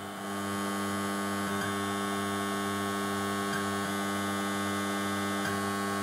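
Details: 1970s Blaupunkt Frankfurt car radio with retrofitted Bluetooth module: steady low electrical hum with faint tick about every two seconds, ground-loop and processor noise, before fitting a galvanically isolated DC-DC converter power supply.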